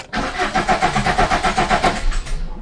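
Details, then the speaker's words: Fiat Punto 1.3 Multijet diesel after an oil change and all four filters replaced: rhythmic cranking, about seven compressions a second, that never catches; air in the new fuel filter, with gurgling heard while priming. "Ah, maintenant, j'entends. J'ai entendu les glou-glou maintenant."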